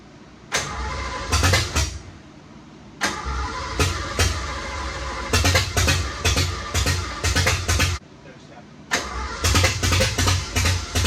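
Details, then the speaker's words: 1986 Ford F150 that sat over 20 years, fuel pump now delivering: repeated bursts of cranking with pauses that never catch, and the starter was staying on; the no-start is traced to a big hole in the intake causing a vacuum leak, to be plugged. "so what is what's happening is so the reason it's been inspiring it wasn't running is because there's a there's a big hole and the intake I was causing a vacuum leak"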